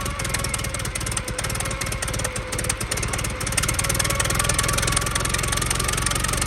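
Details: 1914 Buick four-cylinder with 1776.4 original miles, stored about 85 years, on fresh premium fuel, cooling system leaking water: steady, slightly loping idle, even beat, no knocks; runs healthy.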